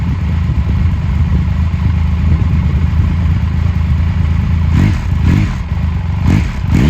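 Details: 2000 Triumph Sprint ST 955 triple, first start in 24 years after being wrecked new and stored in a barn, with a cleaned fuel pump and new fuel hoses: steady low idle with a few sharp throttle blips rising and falling near the end; runs and revs freely, healthy.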